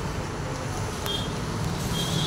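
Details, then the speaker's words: Bajaj Avenger 220 on its second engine rebuild, test ride after repair and reassembly: steady even engine drone under road and wind noise, no knocks, ticks or rattles; running normally. "तो गा ये पूरी तरह से complete है गाड़ी कोई भी दिक्कत नहीं है बिल्कुल परफेक्ट है"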